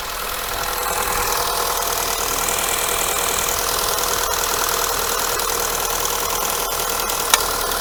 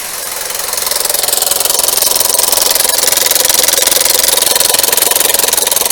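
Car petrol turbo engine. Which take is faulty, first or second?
second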